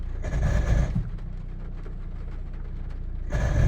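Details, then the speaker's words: 2012 Peugeot 308 Active (glow plug engine) idling in neutral with the clutch pedal released: harsh grinding bursts from the gearbox. Owner was told it's a layshaft bearing and hopes it's the release bearing; a new gearbox is reportedly needed. "Sounds like you're grinding gears, but I don't know what it is. I've been told it's the lathe shaft bearing."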